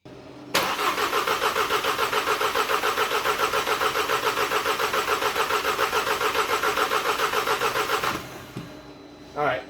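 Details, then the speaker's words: 2012 VW EOS 2.0T TSI EA888 Gen1 CBFA after cylinder head rebuild and timing chain job (jumped time, bent valves), coils unplugged priming oil and fuel: eight seconds steady even cranking, no ticking; compression sounds healthy. "that sounds really healthy to me no tinging no ticking no noises"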